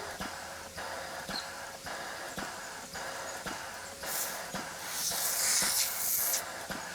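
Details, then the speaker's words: 3D-printed PLA nozzle waterjet test, air-driven pump at 30 psi air; regular light hissing strokes about two and a half per second, no labouring or higher force, pump cycling without load. "doesn't feel like it's any higher force and it doesn't really sound like the uh pump is uh straining much either"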